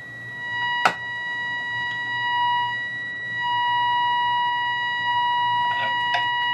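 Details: Restored 1938 Healing 448E valve radio, medium-wave alignment with a signal generator, trimmer adjusted near the 1400–1500 setting. A steady whistle near 1 kHz with faint overtones swells and holds; the set is peaked on alignment.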